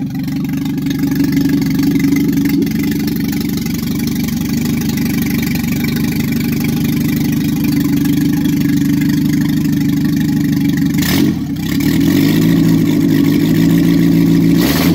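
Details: Triumph Spitfire MK3, first engine start after a complete rebuild: catches and settles into a steady, even idle, then takes a clean rev and drops back smoothly. Sounds healthy.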